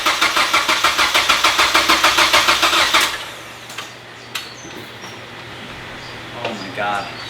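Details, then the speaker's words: Mazda Miata with swapped 2.5 engine, first start attempt after filling fluids, fuel pump 15 A fuse pulled to crank oil through: steady starter cranking about three beats per second, never catching; no fuel so it won't fire, timing set, owner notes very low battery. "so as you guys can hear and tell the engine cranks and everything but it's just not turning over and i know it's in time everything's plugged in"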